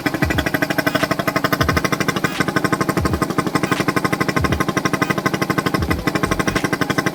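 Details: Yamaha SZ-R 150 that would not start after long storage, test-run after carburetor cleaning: even, steady idle at about three beats a second with no misses or hunting. Normal idle.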